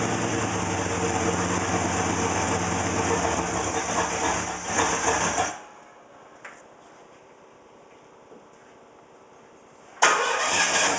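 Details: Rough idle: uneven, lumpy beat that cuts out for a few seconds then recovers; cause not clear.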